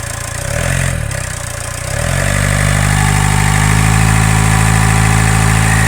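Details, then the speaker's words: Ford Focus 2 1.8 turbodiesel, timing cover removed, engine supported: steady high whistle rising over the engine note with revs, persists with accessory belt off and clutch pressed, coming from rear of engine; owner suspects turbo impeller rubbing its housing. "Ну пока ничего кинули новый ролик вон видно Ну ничего не поменялось так же всё свистит Ну звук идёт откуда-то вон с задней части двигателя а там у нас что турбина только находится"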